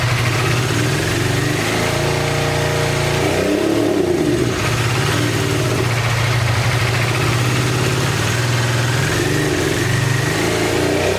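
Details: 1986 Honda VT500 Shadow V-twin, long-stored: revs up and settles but runs lumpy under throttle with the rear cylinder dropping out; owner believes airbox water is shorting the rear plug, and rusty water is coming from the radiator cap.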